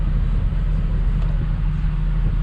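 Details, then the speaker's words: Toyota Supra Mk4 2JZ-GTE single turbo, started after AC repair with a new fuse added in the circuit: steady low idle hum with AC compressor engaged, even with no knocks or squeals, AC blowing cold; normal idle. "all right now she starts and let's try it oh nice make sure the ac works oh it's cold"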